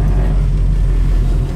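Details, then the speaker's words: 1972 Chevy Nova, 454 four-barrel V8, automatic; running smoothly again after distributor got wet and ran poorly; deep steady rumble, even beat, no misfire or knock. "now it's running like it was before so we do have a 235s on the front you guys so we have a little bigger tire on the front"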